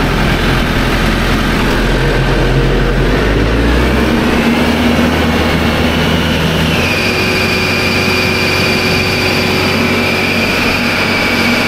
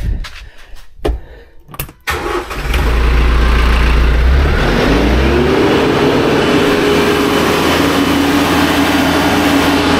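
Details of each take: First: Diesel engine with RPM run up, its first wear item: heavy roar climbs with the revs, then a loud, steady high-pitched squeal sets in and holds; the alternator belt is squealing and is to be replaced. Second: TYM T574 diesel tractor after replacing the fan belt and refitting the air conditioner accessory belt with about half an inch of play. It cranks, catches and settles into a steady, even idle with no belt squeal. Normal idle.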